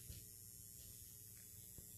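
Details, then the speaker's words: Xantrex XW 6048 hybrid inverter/charger (120V/240V 60Hz) load test with a lamp on one leg: low steady bee-like transformer hum, constant, no crackle or surging; normal under load. "so it's working perfectly you can hear the Transformers kind of humming like a bee"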